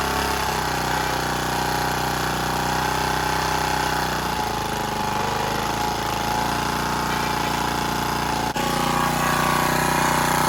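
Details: Generac CW15K gas water pump after carburetor and throttle rod work, with oil possibly low: steady, busy small-engine drone holding an even speed for ten seconds with no surging or stumbling; normal running.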